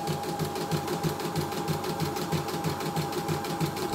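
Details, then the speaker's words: CNY E960 embroidery machine after repair and cleaning, cover off, a part shaken loose by vibration: quick regular tock-tock about three per second over the machine hum; loose part rattle from vibration. "Oke, ini pegangin, ini tokotokotokotok ini, karena getarannya ininya terlepas."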